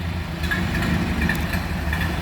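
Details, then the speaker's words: 1929 Ford Model A Tudor sedan idling with the idle turned down slightly: a low, steady, even beat with no misses or knocks. The engine runs smoothly. "There you go. That's what a Model A sounds like, 1929."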